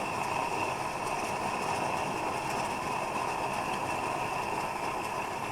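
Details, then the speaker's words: Plumber's pot (smelting furnace) burner, fully preheated and running on vapor rather than raw fuel at blue flame: smooth, even, steady roar with no sputter or pulsing, normal burner operation. "Hear that transition? That's not raw fuel burning anymore, that's vapor. And it'll still heat up even hotter."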